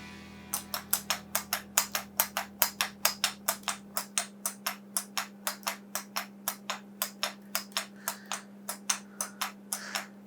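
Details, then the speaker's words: Homemade wooden escapement mechanism just after resoldering: crisp, evenly spaced ticks about three and a half per second over a low hum, slight speed change possibly from the angle it is held; normal escapement ticking. "working. There's a slight change in the speed, but I think it depends on what angle I hold it at."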